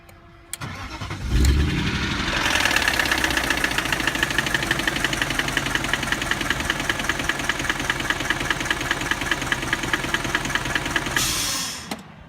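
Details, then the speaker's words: BMW E30 with an M62B44 V8 swap, finished a month earlier and converted to OBD1. Catches and settles into a fast idle with a steady, sharp knock throughout; owner suspects the chain guide and hopes it isn't rod knock. "so long story short yesterday I started at my car and it started knocking"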